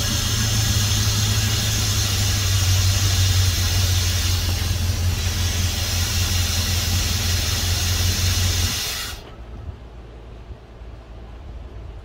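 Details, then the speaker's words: 1971 Dodge Coronet police car, 383 big-block V8 with 4-barrel carb, first start since the early 90s after new plugs, wires and oil, fuel poured in carb: steady even low idle, no knocks, 60+ psi oil pressure, healthy. "well that's fantastic well I'm just tickled by that listen to that thing purr"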